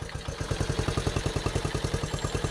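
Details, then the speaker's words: 1974 Honda Trail 90 (CT90), sitting since 1984, with a new battery and still in gear: it fires right up and putters at a slow, even beat of about ten pops a second. It runs cleanly but the idle is set too low and needs bumping up. "but yeah she fires right up like i said the idle's bumped down a little bit right now"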